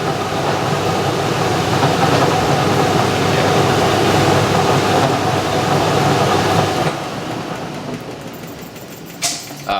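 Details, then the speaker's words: 1989 Maytag A512 Fabric-Matic washer on a regular fabrics cycle: the spin rumble winds down, then a short high squeal as the drum brakes to a stop. Owner thinks it always squeaks when braking; cause not known. "that was the squeak i think it um i think it'll always do that when it breaks"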